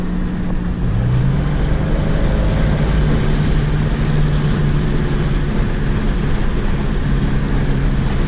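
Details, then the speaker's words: Pontiac Grand Prix GTP Special Edition test drive, accelerating: steady low hum under road and engine noise, felt in the gas pedal, quieter turning left and stronger turning right; driver suspects a front right wheel bearing, not confirmed. "Yeah, I believe it's a front right wheel bearing for sure. I feel it in the gas pedal, and I just hear like a humming. So it's got to be a wheel bearing, but"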